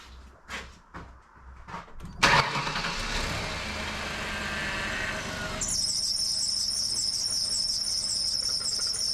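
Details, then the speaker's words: 2001 Ford Taurus after a power steering pump replacement and bleeding, started with the reservoir cap off: cranking, then a steady high-pitched squeal over the idle at start-up. The fluid is spinning without aerating. "there we go got the diesel Creek squeal going on"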